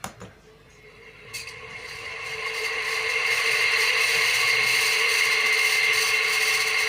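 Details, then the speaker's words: High-speed ceiling fan with a loud hissing roar and steady high rattle building as it spins up, about three pulses a second, loud enough to disturb nearby rooms: worn, loose fan bearings. "तो ये आपने देखा दोस्तों इसमें कितनी बुरी तरीके से साउंड आ रहा है।"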